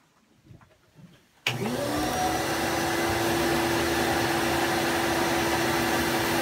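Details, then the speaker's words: Vacuum with an Oneida Dust Deputy, used as dust collection on a blast cabinet converted to a mobile stand-up unit, first run. The motor spins up sharply to a steady, even rushing whine; it runs normally with strong suction. "obviously there's some good suction on this, because look at these gloves."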